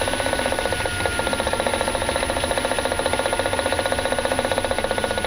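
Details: 2018 Nissan Leaf, lapel mic placed on front member under bonnet while driving: fast, fairly steady light knocking about three per second over road rumble; new front-end knocking fault, source not pinned down.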